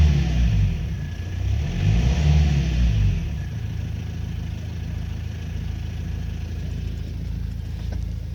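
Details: 2005 Renault Trafic 1.9 dCi diesel briefly revved, then idling: faint regular knock, about three per second, over the diesel clatter. Source unclear.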